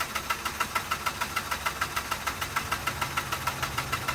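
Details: 2006 Mazda RX-8 rotary that shut off while parking and won't start: even starter cycling at about three beats per second never fires. Crank, no start; the owner suspects oil flooding the air filter.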